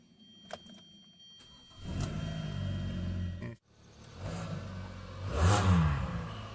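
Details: 2.4L Hyundai Sonata, first start after starter replacement: starter cranks briefly, the engine catches and settles into a steady, even idle with a light blip. It starts and runs normally.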